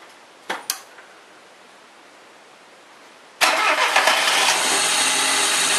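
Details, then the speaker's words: Chevrolet Corsa that was weak and noisy and hard to start, after camshaft timing marks were realigned with the crankshaft: a few quiet clicks, then it catches at once, cranking faster than before, and settles into a steady, even run with no knocks or rattles. "galera até a partida dela ficou diferente ela ficou bem mais rápido viu"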